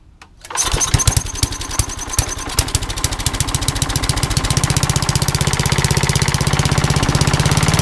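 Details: Old rusty Tecumseh 10 hp HM100 single-cylinder, after replacing a rust-filled knock-off carburetor with a genuine Tecumseh one and correcting the governor linkage: fires right up to a steady, even thump about four beats per second, running clean.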